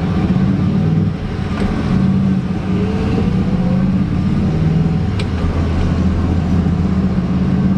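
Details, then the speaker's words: 1994 Ford F150, 5.0 V8, 5-speed manual, under 118,000 miles, new clutch, recent synthetic oil change and coolant flush, driving: even V8 drone climbing smoothly with throttle over road noise, not a single tick or knock. Normal engine under acceleration. "A single tick in the engine. Nothing."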